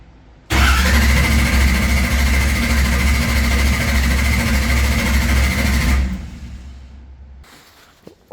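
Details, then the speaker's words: Race car, engine cranked while checking RPM signal: long even starter cranking, about four turns a second, never fires, then winds down; no start, ECU reading RPM signal. "no but it's reading RPM signal sounds like no"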